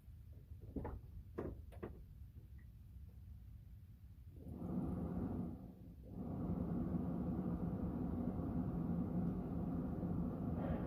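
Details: Ford F250/F350 Super Duty V10 just after replacing the fuel filter with a new Motorcraft one: a few clicks, a brief catch, then a steady low even rumble with no misses; normal start and idle.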